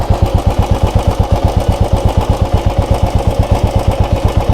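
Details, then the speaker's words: 2017 Royal Enfield Bullet 350 (17,892 km), listened to from the engine side and then from behind: even, deep single-cylinder thump about eight beats a second, steady with no clatter; normal idle. "और अब इसके पीछे चल दर। इसलिए ऐसा लगता है कि यह सामान्य ध्वनि कुछ इस तरह।"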